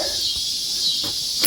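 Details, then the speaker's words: Original sailboat winch on a Laguna 24S, turned by hand: a thin, tinny metallic ratcheting as the pawls catch cleanly. Normal winch ratchet clicking. "You come over here and you listen to this. Doesn't that sound nice? Oh, that sounds so very nautical."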